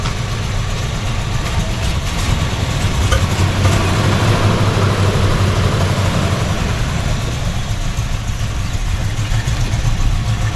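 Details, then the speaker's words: V8 after sitting about 8 months, just started on an 80-degree day: loud, lumpy uneven idle with occasional pops, near stalling; sounds almost out of fuel, old fuel suspected, cause unconfirmed. "Well, it almost sounds like it's really out of fuel."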